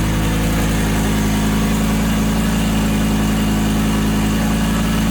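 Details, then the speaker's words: Lamborghini Gallardo, just started, oil pressure good, coolant barely warming: steady loud even hum held well above normal idle; engine idling high and cutting out when revved, cause not found. "Okay, so there still is an issue with this car idling high and also cutting out with the revs."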